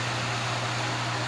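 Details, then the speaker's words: Vintage Wizard hassock fan on high speed after a motor transplant from a Mainstays box fan: a soft, even whoosh of air over a faint low hum with no vibration, rattle or grinding; running quietly and smoothly. "it's putting out a really good breeze. It's very quiet. There's no vibration, which is a good thing."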